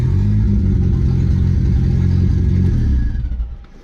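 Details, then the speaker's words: Merkur XR4Ti turbo after fitting Evil Energy 300LPH fuel pump, 100-micron filter, boost controller and boost gauge, exhaust not yet fully connected: starts right up with a deep, loud rumble and steady firing, revs briefly then dies away; runs fine. "The boost gauge does work though, and the car does start right up."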